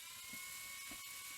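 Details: Sony EV-S700 Video8 deck, capstan motor running super fast with no FG signal seen from the capstan FG coil at pin 16. It gives a constant shrill whir at a fixed high pitch with no slowing: capstan motor overspeed, cause not confirmed.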